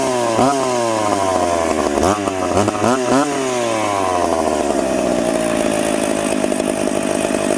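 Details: Piped McCulloch Pro Mac 850 two-stroke chainsaw cutting two-year-seasoned oak, tuned ragged-edge lean: several sharp revs, then a steady high scream held in the cut at about 10,300 rpm; strong, healthy.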